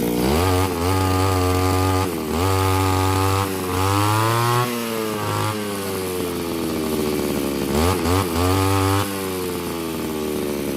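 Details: Small two-stroke grass trimmer engine after a home carburetor cleaning: it buzzes cleanly and picks up smoothly through repeated throttle blips, dropping back to a steady idle. The cleaned carburetor is working properly.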